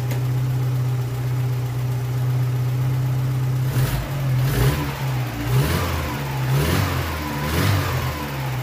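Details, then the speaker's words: Old VW Polo engine after fresh 15W-40 oil, warming up; steady even idle, then several quick throttle blips that climb and drop back cleanly with no knock or miss; engine sounds healthy. "aber er klingt wieder richtig gut wie gesagt die einspielung wird erst ein paar mal ein paar tage durchlaufen werden"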